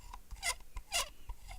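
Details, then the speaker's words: Mouse, all-plastic shell, mic very close: short plastic creaks and squeaks as it is pressed and flexed; a creaking shell, the mouse's main flaw. "Petit grincement des familles. Hein, c'est le gros défaut de cette souris."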